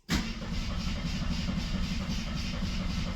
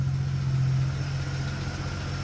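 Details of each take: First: 1973 AMC Gremlin, sat 30 years in a barn: starter churns evenly at about four turns a second for five seconds and never catches; cranks well but owner suspects no ignition, possibly mice-chewed wiring. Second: 1973 AMC Gremlin, 30 years in a barn, now starting on the key after a few extra carb adjustments: fires right up and settles into a steady, even low idle with no misses, knocks or hunting.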